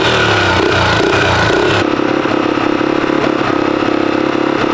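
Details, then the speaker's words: Restored 1982 Honda XL250R single, first start in over 15 years after carburettor leak repair, fires and thumps unevenly at a fast, slightly hunting idle, cold on choke; normal cold start. "So right, she is alive. So this is the first ride for me. You do have to keep the chokes out on these bikes for a little while to get them warmed up."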